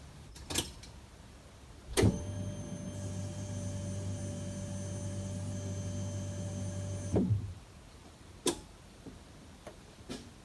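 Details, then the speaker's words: 1991 Nissan PS13 Silvia SR20DE, recorder placed on top of fuel pump, key to accessories with new kill switch on: steady even electric hum about five seconds then cuts cleanly; normal fuel pump priming. "all right so i'm gonna sit this right here on top of the fuel pump so you can hear it"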